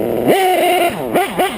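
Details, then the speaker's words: RCR-modded LRP .32 nitro engine on a REDS 2120 pipe with a 41032 header, not dialed in: revs blip up and down, climbing sluggishly and sounding burbly and soft at the top, with the idle set high. Running rich throughout. "i'm running the 2120 um she's running real fat right now too [Music] as you can see she's island kind of high and she's pretty fat all the way around"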